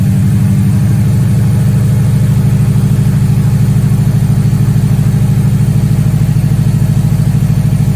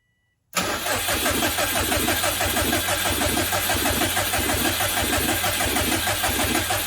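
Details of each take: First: Subaru STI EJ engine after timing belt inspection prompted by bad bearing noises, car sat a month and a half; steady, even low idle with smooth regular pulse, no knocks, ticks or whine: running smooth, normal idle. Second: Subaru after timing belt work, cranked on the starter with the fuel pump relay unplugged to build oil pressure, no fuel so no firing; an uneven scraping knock each turn seems to come from inside the timing cover; earlier bad-bearing noises, cause unconfirmed.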